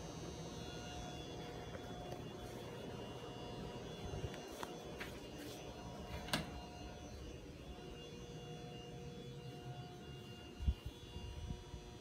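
A quiet, constant electrical buzz with a thin high whine that never changes; an old fluorescent tube humming in its fitting.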